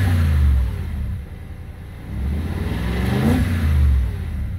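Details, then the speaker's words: 2008 BMW 650 Convertible, 4.8 L V8, 85k miles, well maintained: revs twice from idle with a deep, smooth rumble and settles cleanly; healthy engine, no pulley or belt noises. "okay that's a nice sounding engine"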